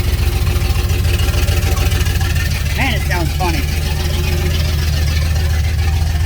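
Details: 1989 turbo Fox Body Mustang, cold, after a Melling high-volume oil pump install and distributor re-stab: a lumpy, uneven idle with a deep rumble, feels like it's missing. Oil pressure drops to about 30 even before it warms up; the owner suspects an engine problem.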